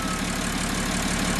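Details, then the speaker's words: VW LT40 4x4 with BMW M57 3.0 twin-turbo diesel swap, first start: immediate start, deep, even diesel rumble at a steady idle about 700 rpm, no knocks or misses; normal idle. "that sounded nice immediate start yeah and it's real smooth those six cylinders i think it's i mean it is also like 700 rpm yeah it's amazing yeah a lot of choo-choo noises yeah"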